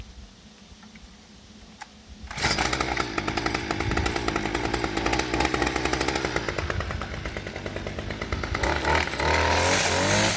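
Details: String trimmer's small two-stroke after cleaning dirt out of the trimmer head, where the spring was found. After a pause it catches and buzzes steadily at high revs, even and unbroken; it runs normally.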